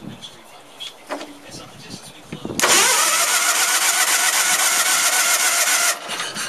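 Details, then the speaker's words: Case lawn tractor, 20 hp Onan engine primed with gas after long dry storage, gas line newly attached: catches with a sudden loud roar, runs about three seconds, then dies; fuel reaches the pump, weak pump or dirty carburetor suspected; it later flooded. "But we got gas up to the fuel pump, it looks like, because it tried to run there for a minute. I know, I wonder why it quit."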